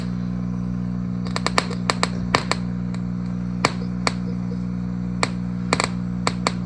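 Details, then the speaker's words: 1939 Gibson EH-150 tube guitar amp idling with no signal: steady mains hum with irregular sharp pops and frying-bacon crackles about every second. Technician suspects something like a bad resistor. Unconfirmed, heard before servicing. "some popping and some frying of bacon kinds of noises that I usually associate with [Music] um like a bad resistor, something like that maybe."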